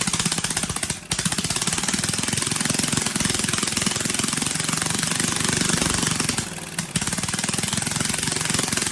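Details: Briggs & Stratton 18 HP Vanguard twin, choke hand-held because it vibrates shut, fuel pump slightly leaking: very loud, harsh clattering exhaust with a tinny rattle riding every pulse from a loose, broken muffler baffle.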